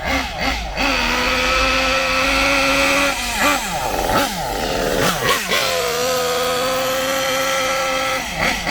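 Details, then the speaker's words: Kyosho MP9 nitro buggy, standard engine, driving passes after a quarter turn leaner on the high-speed needle: high buzzing wail rising and falling, soft and blubbery on top; quicker than before but still far too rich. "notice now it's quicker than it was. Still far too rich, but it's quicker than it was."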